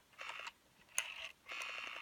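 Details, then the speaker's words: 1974 Western Electric Bell System rotary desk Trimline telephone, dial in handset, plugged in: three runs of crisp evenly spaced clicks about ten a second as the dial returns; normal rotary dial pulsing. "and the dial has a really nice sound to it and when it's plugged in you can hear the pulses quite well"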